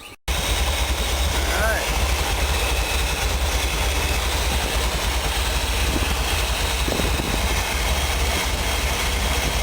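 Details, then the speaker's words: Chevy 454 big block in a Willys with a four-speed, rebuilt after piston-to-valve clearance damage with valve reliefs ground into the pistons for a higher-lift cam. Deep, steady idle around 700 rpm, temperature about 60, oil about 40 psi, no knocks or ticks. Normal idle. "Runner sounds good all right okay this is what I get to enjoy four speed couple gauges attack turn key push button idle's about 7 I'll get it up to about 8 by the time it's all done"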